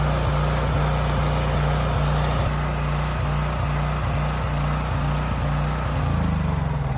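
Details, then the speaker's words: Homelite generator bought running, before repair, oil likely never changed, just after a 3000 W load was switched off: a thumping firing rhythm that wavers and sags at no load. It hunts and surges, and the owner expects a dirty carburetor. "now after turning that load off it did start hunting and surging a bit so i guess we will need to go through that carb no big surprise there"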